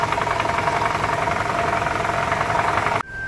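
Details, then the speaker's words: 2012 Toyota Camry 2.5 2AR-FE at idle after a balance shaft replacement. Run about 10 minutes, now at normal operating temperature. A light, steady mechanical patter with no heavy knock. The earlier low-rpm rattle under load is much better. "so we've been running for about 10 minutes we're at normal operating temperature and this is the noise so it's way better"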